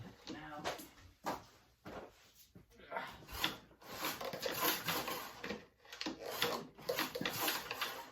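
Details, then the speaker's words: Kawasaki FJ180V mower engine after a head replacement, being pulled over without firing: uneven rasping scrape on each pull; owner thinks a plastic cover below the flywheel nut is scraping on metal. "I don't know why but that's the second one I had that had that uh sound when you would pull over they wouldn't sound very nice some plastic scraping on some metal"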